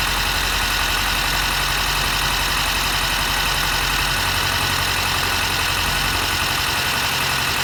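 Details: 2022 Mercedes Sprinter M274, 237k km, cylinder 3 compression 90-120 cold, 60-90 warm versus 140-150 elsewhere, good spark: uneven loping idle under loud steady hiss, likely crankcase blow-by; cylinder 3 misfire from low compression.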